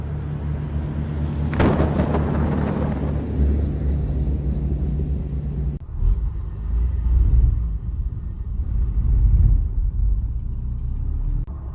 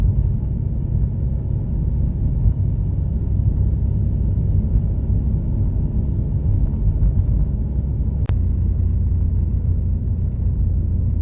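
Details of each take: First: Un-restored 1937 Plymouth Business Coupe pulling away from a stop in first gear after a chatter repair: low rumble shudders unevenly, so some clutch chatter remains. Owner hopes it is clutch break-in; the new throwout bearing is also noisy. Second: Un-restored 1937 Plymouth business coupe pulling away from a dead stop in first gear after flywheel wobble was fixed: steady low engine rumble, smooth clutch engagement with no chatter or shudder.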